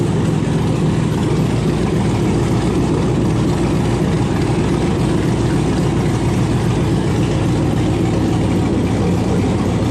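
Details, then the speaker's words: 1971 Impala with LS swap, after fixing low cranking voltage to the block (7–8 V) with a jump pack and ground: V8 settles into a steady, even, deep idle with no misses or knocks; runs with oil pressure. "so finally it runs it's got oil pressure"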